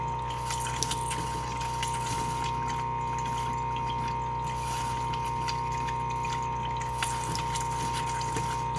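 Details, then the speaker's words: Floe 868 drain-down system compressor during a static caravan drain down, kicking in again to blow out the cold water line after pressure builds back up: steady low motor hum with fixed tone under hissing, splashing water. Normal running. "Once it's stopped, we'll try the same on the actual cold water. Now it's stopped. We'll do it on the cold. And the machine again kicks in."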